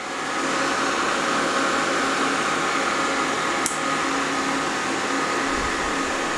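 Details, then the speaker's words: New Antminer E9 Ethereum ASIC miner (rated 2400 MH/s) at first power-on via two C13/C14 cables: loud steady rushing whir of high-speed fans that settles and holds, no rattle or scraping, no burning smell; normal. "Okay, I don't smell any smoke. I don't smell any burning or anything yet. It seems to be turning on now."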